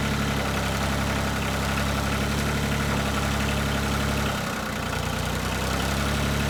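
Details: 1988 Yanmar 336D diesel tractor, unrun for 6 years, after fuel, oil, air filter and coolant checks, throttle at three quarters; even, steady fast-idle clatter with one brief dip and no knocks, running smoothly.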